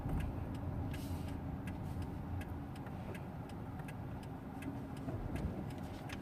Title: Hyundai EON severe grinding sound during a low rpm